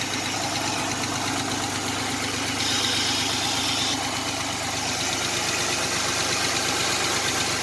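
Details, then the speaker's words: 1987 Chevrolet Celebrity Eurosport 2.8 V6, 237k miles, idling around 40–50°F with new Pontiac 6000 single-in dual-out muffler; even idle with light, quick ticking in step with engine, newly noticed lifter tick, cause not confirmed. "You can actually hear the motor now. Got a little bit of lifter tick. That's new."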